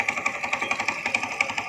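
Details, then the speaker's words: Old motorcycle, Astrea Grand type engine, after an oil change, new gaskets and clutch adjustment: now starts on one kick, but a steady crisp klok-klok tapping about five or six a second remains at idle; source unconfirmed, less rough when revved. "nah nah sekarang saya udah menerin ini Ini apaaskanda sama ini kopling nah lah tetap masih bunyi kok-kok"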